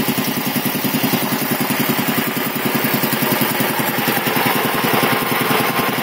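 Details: 1975 Quincy QR 325 compressor, pump #325 ROC 10, converted to a GE 5HP single-phase motor with a 5¾-inch pulley, pump at 621 rpm; steady, rapid, even chugging with no knocks, rattles or misses. Running smoothly, normal.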